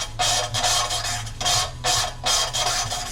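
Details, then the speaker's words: Cylinder head valve being lapped onto its seat with coarse carborundum paste: rhythmic gritty rasping strokes about two and a half a second, losing coarseness as the paste breaks down and the seat grinds in. "what I'm doing is I am just lifting the valve ever so slightly just to pull some more carbon rundum in but then as you can here it loses its sort of coarseness like that and that's the carbon and breaking down"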